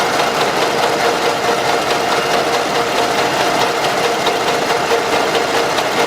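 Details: Camshaft axial end play knock in the cylinder head bearings, heard at idle as light regular tapping about twice a second; owners reported a strong knock, oil rarely changed with heavy blow-by deposits; pressing the camshaft with a wooden mallet handle makes the sound disappear.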